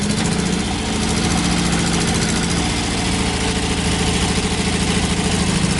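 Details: 1986 Toyota pickup, 22R extra cab with a new carburetor, just started after two pedal pumps: loud, raw idle with an uneven low chuffing pulse and harsh crackle. The stack sits behind the cab with no muffler. Loud exhaust from the missing muffler.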